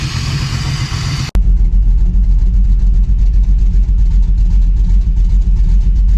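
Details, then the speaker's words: Dodge Dakota R/T 5.9L Magnum V8 after a cam swap, electrical fix and timing/distributor reset, warmed up: deep, loud, choppy lope about 2.5 beats per second, no longer missing; healthy big-cam idle, still needs tuning. "you guys can hear this crazy cam we've still got some tuning to do for sure but you guys should be able to hear it"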